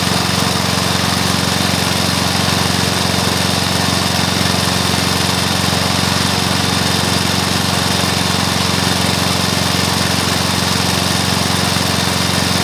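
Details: Briggs & Stratton mower engine (believed early 1984), first start after rebuild with new piston, rings and valves for oil consumption (loose rings, worn valves); steady even single-cylinder running at constant speed, no knocks, misses or rattles; normal running.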